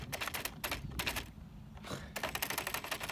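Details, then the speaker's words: Traxxas Slash 4x4 VXL RC truck, belly rubbing while pushing through grass: rapid stuttering ticks in bursts as the brushless motor cogs under load, then power seemingly cut out, possibly the ESC cutting power from too much resistance. "this RC just has to push so much harder to get through this grass come on let's go cogging oh"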